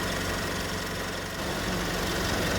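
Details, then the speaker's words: 2006 Ford KA MK1 with a new radiator fan assembly, idling after nearly 30 minutes of warm-up: the condenser and radiator fans whoosh steadily with no rattle or scrape, then slow down together after under a minute; normal operation. "So both fans are slowing down together. That was just enough. Just enough to cool down."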